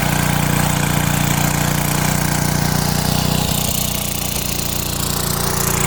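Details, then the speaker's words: 1970s Hahn Eclipse BHT-120 tiller with a 3.5 hp flathead Briggs & Stratton, revived after years of neglect, tilling wet dirt with its gear fluid full. It holds a steady, even beat of about 220 a minute and sags only briefly under load; normal running under load. "Thing's a workhorse. Works great."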